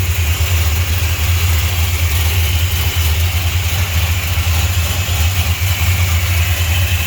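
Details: 1968 Chrysler Newport Custom with a new Holley Sniper EFI, oil pan just redone, first start since 2013. A deep, loud, even idle rumble with no knocks, misses or surging: running smoothly and healthily.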